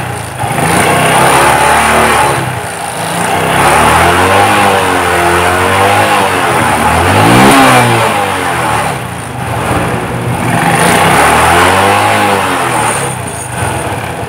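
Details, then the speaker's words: Suzuki Shogun 125 after refitting carburettor needle so it no longer moves loosely: engine revs up and drops back in smooth blips, following the throttle with no surging or hesitation; low-speed jerking fixed. "seperti itu ya teman-teman jadi mesinnya mengikuti irama putaran G jadi enggak sendat-sendat karena jarumnya naik turunnya itu sesuai dengan keinginan putaran gas"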